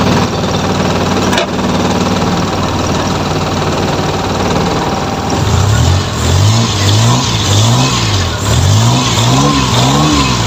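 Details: F6A engine, in a hard-starting fix: settles into a steady idle, then takes several quick throttle blips cleanly without stumbling; it starts and runs well.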